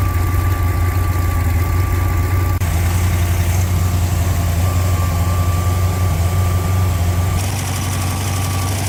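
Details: Freshly rebuilt Ford FE 390 V8 with a mild cam, for a 1964 Thunderbird, on an engine run stand, fully heat-soaked, temperature held, oil pressure about 55: steady, even low rumble with no knocks or misses; runs really smooth, healthy.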